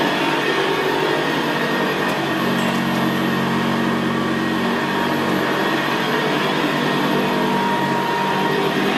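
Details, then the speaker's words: 1975 Hoover Senior Ranger U4002 vintage upright vacuum in use on carpet: even, quiet motor drone with a low gravelly brushroll growl, a growl typical of the Ranger. Normal, healthy running. "well isn't that absolutely beautiful machine to use it's just very very quiet and in very very growl very growling that's why I always said about the Ranger they always had a very very gravely brushroll on there"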